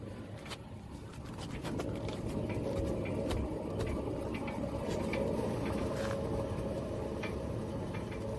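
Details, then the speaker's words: Front wheel bearing on a 2007 Toyota Tundra, recorded while driving: heavy low growl under road noise, super loud and getting worse, truck sometimes shakes; other side suspected bad too; bearings to be replaced. "this one's like super loud so this one is a really bad one so that's how we're here when we're driving and the truck starts shaking sometimes"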